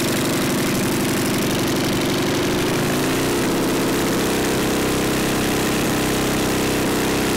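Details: Neglected older Craftsman snowblower, sat years in a shed, leaking fuel, electric start: single's rapid beat sags near three seconds, then runs unevenly, never steady; seems fuel-starved, carburetor passages possibly gummed, unconfirmed.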